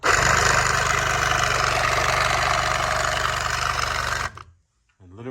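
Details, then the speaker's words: BMW X5 E70 rear air suspension compressor, removed and bench-tested outside the vehicle: a loud, harsh gravelly grinding for about four seconds, like it ingested rocks and possibly worn motor bearings; failing compressor, normally masked under the car. "sounds like an ingested rocks so if yours is making noise and you think it's not that bad it is that bad"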